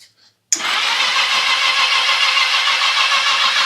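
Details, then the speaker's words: 1982 Yamaha XJ650 Seca, unstarted for 4.5 years (sitting since 2021), new battery plus jump box, spark plugs removed: starter spins the engine freely with a fast, even whir, no binding or clunks. Turns over perfectly. "Awesome. Awesome. Everything turns over perfect. That's awesome. I can't believe that thing hasn't rolled over in 4 and 1/2 years."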